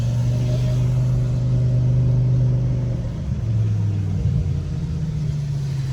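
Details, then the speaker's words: BMW M5 S85 with SMG on a test drive after a TTV lightweight flywheel and OEM Sachs clutch install: revs easily and blips cleanly through downshifts with an even note, no clunks or slips. "The downshifts are nice."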